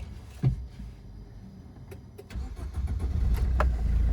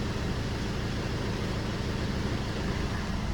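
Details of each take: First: 2007 first-generation Maruti Swift diesel, 160,000 km, after replacing three engine mounts for heavy running vibration: a few light clicks, then it catches and settles into a smooth run with no clunk or shudder; clean start after repair. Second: Maruti Swift diesel idling, heard inside the cabin: heavy steady low hum with strong body vibration and mirror shaking, caused by worn-out engine mounts (engine/gearbox beds) needing replacement.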